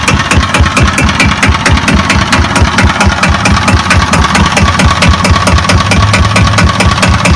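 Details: Kubota EA-300-AR single-cylinder diesel, said to have about 15 hours of use, at low idle: quick, even thump with a steady beat, no misses or extra knocks; healthy.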